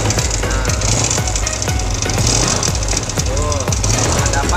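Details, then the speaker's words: Yamaha Vega motorcycle engine running at workshop: steady rapid tapping about twice a second with odd warbling, music-like tones on top; abnormal internal noise, cause unknown. "Oke, kita dapat klien ini musik, mesinnya ada musik-musik jelas."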